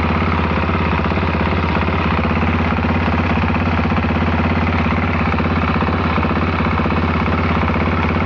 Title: Bruit moteur can am ds 450